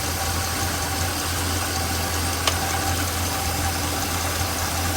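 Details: Small-block Chevy 350 after hydraulic lifters were set at 3/4 turn past where the clatter stops: a smooth, steady V8 idle with an even low rumble and no top-end clatter. Normal idle.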